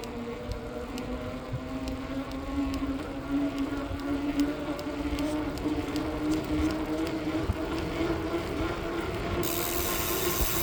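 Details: Specialized Turbo Tero 5.0 e-bike while riding: light ticking about once a second from the rear wheel over rising motor hum; cause unknown even to dealer, disappears when rear tire pressure is very low.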